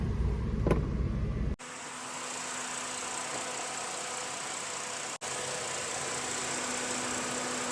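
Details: 2006 Jeep Liberty with a history of misfire codes and sticking injectors, idling with no check engine lights during an AC check: smooth, even idle hum with a faint steady tone and fan hiss, no misses or stumbles; normal idle.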